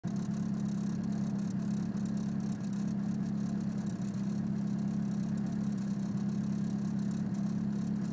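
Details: Petrol engine idling lumpy and uneven after an intake manifold install, with a stumble every so often: a misfire, with codes P0300 random misfire and P0031 O2 sensor heater circuit low voltage.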